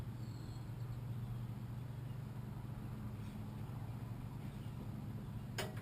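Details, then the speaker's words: 1947 Farmall M first start after full engine rebuild, with fuel, compression and magneto impulse confirmed: sluggish uneven cranking about 3.5 beats per second, never fires; owner attributes it to weak battery. "so it's got to be the fact that the battery isn't doesn't have enough juice to crank it over"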